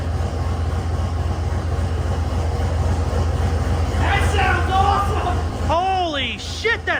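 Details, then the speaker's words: 1971 Ford F100 NASCAR-tribute truck with newly finished turbo V8 build, started cold before first drive; deep steady rumble with no knocks or squeals, a little smoky, attributed to being cold. Normal running. "good A little Smokey that's probably because it's cold definitely nothing else and I think sounds good cool man I like this truck a lot"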